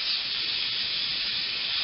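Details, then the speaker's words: Personal Cushion Lift for rising from the floor, pump turned off, manual air release valve opened: steady high airy hiss as air leaves and the cushion shrinks, normal air release. "that point the pressure will be leave from the cushion Christian will get smaller"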